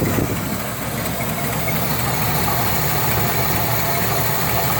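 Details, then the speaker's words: 1975 Cadillac Eldorado convertible V8 on a cold start at about 75°F, idling with a faint, irregular light ticking over the rumble. A small exhaust leak is puffing somewhere up front; the exact source is unknown. "A little bit of an exhaust leak up here. Not really sure where that's coming from, but you can hear a little bit of it."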